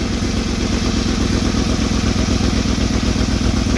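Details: 2007 Ford E150 Econoline 4.6L V8 with hard starting, stalling and black smoke idling with a faulty oxygen sensor unplugged: a steady even pulse of about four beats a second, no stumbling or stalling, sounding much better before new Bosch sensors go in.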